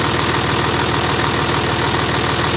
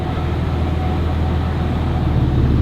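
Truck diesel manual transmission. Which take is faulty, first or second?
first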